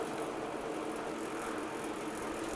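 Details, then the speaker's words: Trek 820 mountain bike rear wheel spinning after cleaning and drivetrain setup: fast, light, even ticking as the cassette wakes up and clicking returns; freehub pawls engaging normally, seemingly not broken. "oh that the cassette waking up can start to hear it clicking yeah look at that wheel spin"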